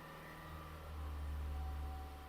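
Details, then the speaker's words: 2017 Ford Edge diesel with sudden engine-bay grinding/whining noise, engine easing back from held revs: quiet, low, even hum that swells slightly and settles, no grinding or whine. Normal idle. "Slowly slowly right now vehicle has a good idle. Yeah, that job success. And you can hear No any grinding noise, winding noise like before and no any digs around this area."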